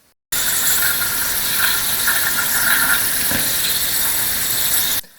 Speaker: We can hear the leak coming from our fill valve.